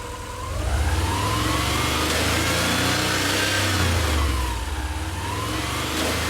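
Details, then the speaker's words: Subaru EJ22 after engine reinstall, revving past about 2000 rpm: a tinny rattle rides over the exhaust note from something underneath that needs securing. "so yeah you can uh kind of hear it when it hits i don't know 2000 rpms or so or i'm not exactly sure but when it starts to rev up you hear that noise"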